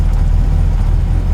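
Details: Supercharged 8-port Mini engine idling from a cold start while its cold-start map is tuned, with a deep, steady rumble and no misses. Enrichment tapers as it warms, down to 12% fuel around 1,000 engine turns; it runs normally.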